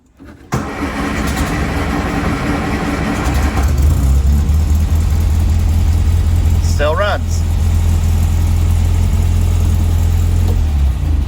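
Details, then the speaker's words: 1960 MG MGA 1600 after ignition parts were replaced, with the fuel pump clicking until the fuel bowls filled and then stopping: it cranks, catches quickly and settles into a steady, even low idle with no misfire or ticking; runs normally. "Waiting for the fuel bowls to fill up. Pump has stopped clicking."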